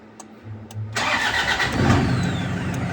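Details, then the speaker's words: Toyota Hiace GL Grandia after starter restoration with new brushes and contact points, recorded from below: one short crank with a slight whistle, engine catches immediately and settles into steady idle; previously took 1–2 seconds to start, starter now smooth. "Yung parang may sumisipol siya kadali. No, 'di ba? Ang napaka-smooth kadali. Talagang maandar na siya, isang pitik lang."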